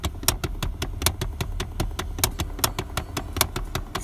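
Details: 2010 Chrysler Town and Country: rapid sharp tapping of about six knocks a second from behind the glove box, heard with the glove box removed, whenever the AC and/or heat is running, over a low engine hum.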